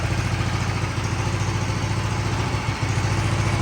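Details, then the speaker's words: Big block mini bike with new exhaust: even single-cylinder thump at idle, about 3.5 beats per second, with light chain clatter from spinning the chain against the e-brake; normal idle. "It sounds good."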